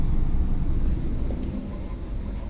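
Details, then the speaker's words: 2007 Mazda 3 2.3L after head gasket replacement and reinstalling a resurfaced, pressure-tested head, fully warm: heater works, temp gauge not rising, revs well. A low, even rumble with no misses or knocks. An earlier coolant spill is unexplained. Normal idle. "We are fully up at temperature. It's revving good. I have heat. The temperature gauge is not rising. My idle is nice and steady right now."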